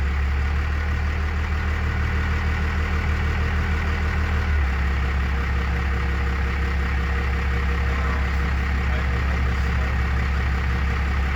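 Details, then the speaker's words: Diesel after replacing the throttle linkage ends, before adjusting the idle screw: slow, heavy chug with a deep, lazy beat at about 300 rpm, turning far too slowly; idle speed set too low. "It's idling at like literally 300 RPMs. And you ideally want that bumped up to at least 5."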